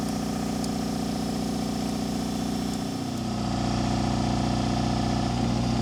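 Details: Miller Air Pak 400 welder, believed late-80s, Deutz diesel, started cold at about 35°F without ether; steady even idle, smooth low hum, no knocks or misses; engine in good shape; normal idle.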